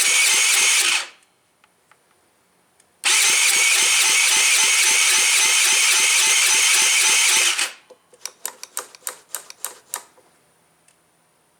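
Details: Tao Tao engine being revived, cranked with muffler removed: loud bursts of cranking then sharp uneven pops in short clusters; exhaust plopping from the open exhaust.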